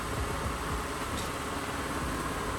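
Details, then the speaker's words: Honda (manual transmission, clutch pressed to start), after owner's own repair: soft even hiss as the wheels are turned at idle, no groan or whine from the power steering pump; steering now quiet and healthy. "So at the moment we hear we are quietly turning the wheels"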